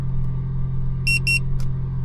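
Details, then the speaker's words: OEM dash cam on a 2025 Toyota Tacoma SR, engine idling, card full or removed; holding the power button gives two short high beeps a quarter second apart, silencing the no-SD-card warning beep. "Now, in order to shut off that beeping, since you don't have an SD card, you're going to hold down the on and off button."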